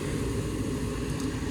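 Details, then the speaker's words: Lennox furnace after 80V to 120V board conversion, on heat call: igniter, then even low rumble of burners and blower, no clicks or rattles, running without cutting off; normal operation. "So here comes our igniter. I'm gonna just wait for fan. Once we get blower on, then I know I can put everything back."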